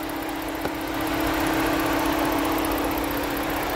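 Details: 2011 Ford Edge at idle: steady hum with a faint uneven beat, three or four stumbles a second. Intermittent cylinder 6 misfire; the code can move to other cylinders. The mechanic blames the computer and plans to remove and reprogram it.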